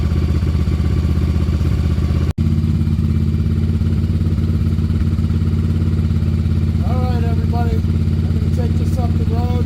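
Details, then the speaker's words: 1994 Yamaha Virago 750 chopper V-twin, warmed up: steady fast drone, idle climbing to around 3,000 rpm after a few minutes running instead of settling; high idle. "you can see the RPMs on this thing is ridiculous and hey if anybody out there has an idea why this thing's screaming so high by all means comment"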